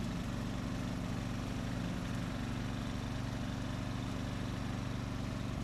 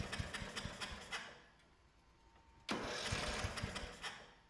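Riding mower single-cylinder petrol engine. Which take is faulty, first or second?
second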